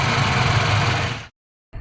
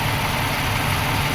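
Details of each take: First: 1995 Suzuki Escudo, fully hot, after thermo (fast idle) valve clearance adjusted: steady, even low idle with no knocks or misses, briefly cut then resuming; normal hot idle. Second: 1995 Suzuki Escudo at operating temperature: steady, slightly raised idle hum that drops when the thermo (fast idle) valve is moved by hand; fast idle valve misadjusted, clearance to be set.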